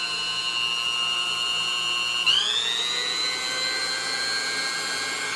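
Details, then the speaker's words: Vintage Sunbeam Mixmaster Junior hand mixer after cleaning and lubrication: smooth, even motor whine with no scraping or rattle, stepping through speeds to a steady higher pitch; runs normally at medium speed. "high sighs you see it runs good now everything's has been lubricated and cleaned out"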